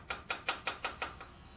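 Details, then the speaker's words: 1987 Pontiac Firebird Trans Am restoration, stuck fuel injector pulsed with an injector driver and cleaner while tapping its side: crisp, even clicks about five a second as it snaps open again; injector freed. "he uses the tap the side of the injector and I got it to open up"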